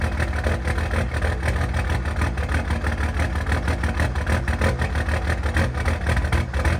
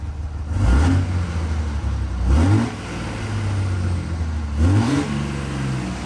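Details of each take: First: Cummins diesel truck after a valve lash check, a compression test and refitting old injectors: a poor start, then a deep idle with an uneven, lumpy beat around three pulses a second. The scanner showed fuel pressure pegged, so the pressure sensor is suspected and is being swapped for a known good one. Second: Cummins diesel truck after new fuel pressure sensor fitted without thread tape: steady low rumble with clean throttle blips rising and settling evenly; good fuel pressure, less smoke, runs smooth.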